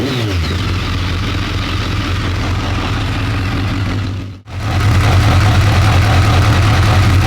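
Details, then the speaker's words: BMW K1200 R motorcycle, sat 2 years, after fault fix, warm at just over 100 degrees with fan on: steady even idle, smooth low beat, no stumbling or misfire; slight clutch rattle noted; normal idle. "Right. Yeah, so the fan's come on now, so see if it starts up normally. So fan come on eventually, yeah? Yeah. Right. Just over 100 degrees. So, yeah, it's all good."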